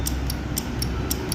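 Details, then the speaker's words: Honda Activa BS6 scooter, self-start dead for months, brake switch wires bypassed, battery 12.10 V: sharp light relay clicks about four a second, no starter motor spin; relay works but no crank, cause not confirmed. "तबतब हमारी relay में आवाज आ रही है। लेकिन गाड़ी self नहीं ले रही है।"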